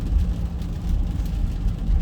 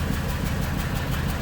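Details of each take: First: Ford Super Duty service truck (2000s) on a road test after the plugged catalytic converter was repaired: heavy, even V8 drone pulling hard without wide-open throttle, no stumble. Power restored, running healthy. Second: Ford Super Duty service truck (2000s) with low power, plugged catalytic converter removed: open-exhaust idle with a lumpy putt every few beats. Cylinder 4 misfire, confirmed by power balance (slow crank speed).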